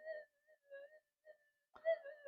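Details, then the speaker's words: Minelab SD2100 metal detector, serviced after it stopped working, with gain at full and a figure-eight coil near the ground by AC wires. A warbling mid-pitched tone in bursts is a normal threshold tone with mains interference. The cancel coil is possibly off skew. "so it's a bit it's a bit noisy you can hear it now now it sounds more normal with the um punches of um the AC um leakage and so forth just coming through"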